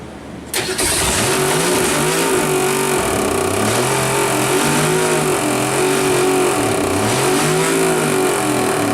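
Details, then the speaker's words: 1962 Ford Falcon on failed break-in: engine runs fast with a rhythmic low thump; the crank was felt hitting a dent in the oil pan from when the engine was dropped. "put my hand on the oil pan where I had when I dropped it it put a dent in it and I put my hand on there and I could feel the crank hitting that dent"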